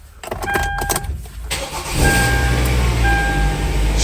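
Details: 2010 Hyundai Tucson that would not start, after starter motor replacement, new spark plugs and reinstalled ignition coils: about a second and a half of cranking, then it fires and settles into a steady, even idle, a healthy start.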